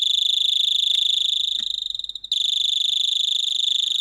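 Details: Repaired 12 V doorbell board, earlier blown by 220 V: clean high electronic chime with a steady even rhythm, no dropouts or distortion, as timing capacitors (10 µF fitted) on the transistor are tested; circuit working normally.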